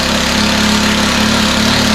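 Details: Stihl FS91R four-stroke line trimmer idling steadily and evenly with a light buzzy whine, no hunting. The low-speed mixture is too rich.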